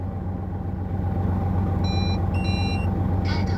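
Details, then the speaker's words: Truck tractor unit diesel, over 800,000 on the odometer, idle: deep, steady rumble with an even beat, no knocks or hunting, no white smoke, a few electronic chimes over it; healthy normal idle. "เครื่องเดินเบาอย่างนี้เลยนะนิ่งๆอย่างนี้ตลอดติดเครื่องได้ทั้งคืนก็อยู่เงี้ยเครื่องไม่มีเร่งช็อปเบรกไม่ยิงแล้วก็ไม่มีควันขาวนะ"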